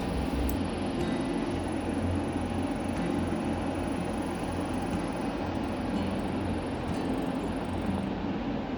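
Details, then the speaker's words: Blue Star 2-ton 5-star split AC indoor unit, about two weeks old, after technicians removed and refitted the plastic body to fix a water leak: steady airy fan rush, low droning hum and faint thin whistle; abnormal irritating noise, cause unclear. "Body वापस लगाने के बाद ये sound आ रही थी, इसको आप गौर से सुनिएगा"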